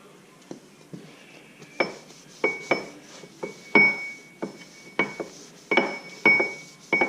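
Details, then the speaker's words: Ford 9-inch third member during reassembly, gear rocked before tightening the adjusters: sharp metallic clunks with a brief ring, about one every two seconds; excessive ring-and-pinion backlash. "as you might be able to hear that pretty is excessive tighten up from spanner see what happens"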